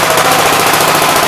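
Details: Single-cylinder engine "Big Blue" (53 L) run outside after a cylinder repair with a plate; rapid, even popping at a steady rate with no skips or knocks, showing oil pressure though leaking oil at the oil pump; sounds better than ever, normal running.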